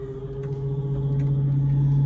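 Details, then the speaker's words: GE Profile French door refrigerator PFE29PSDASS: loud steady low hum with a faint buzzy edge from the failing damper fan motor that blows cold air to the bottom chiller drawer; damper fan assembly needed replacement. "it's another fan motor that comes with a damper that is the one throws the cold air to the bottom drawer which is like a chiller drawer for vegetables or or meat and things like that so as you can hear"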